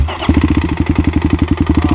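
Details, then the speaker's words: Kawasaki KLX351 single-cylinder after hard riding on snow and ice: a heavy regular clatter on every firing beat at idle; loud internal knock, owner thinks not bottom end, suspects a failed cam chain tensioner. "sounds awful. Well, guys, this could very well be the end of the KLX. I really can't tell what that is. It doesn't sound like it's bottom end."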